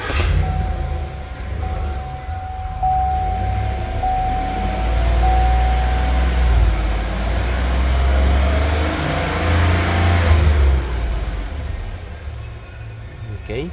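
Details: 2015 Cadillac Escalade 6.2L V8 after fixing the cylinder 8 misfire (P0300) and clearing codes: the engine revs up and down smoothly and evenly with no stumble. It runs normally, though a slight intermittent misfire on cylinder 7 was noted.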